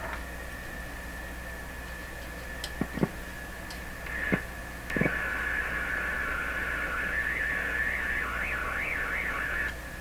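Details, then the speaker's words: General Electric C600 radio after all its capacitors were replaced: a steady, warbling high squeal near two kilohertz over hiss, an IF oscillation howl. The effect fades when a hand touches the chassis. "that's curious I put my hand on the chassis and you can't really hear the effect anymore"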